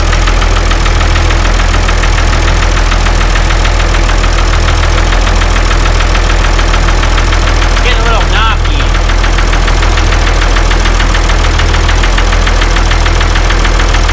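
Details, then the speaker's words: Ford 2704ET diesel in a TR70 combine after a head gasket job: it ran well for a minute or two, then developed a sharp knock about 220 times a minute over loud clatter. Number two cylinder knock, which stopped when its injector line was cracked. "he ran pretty good for I don't know a minute or two and then the number two cylinder developed a knock"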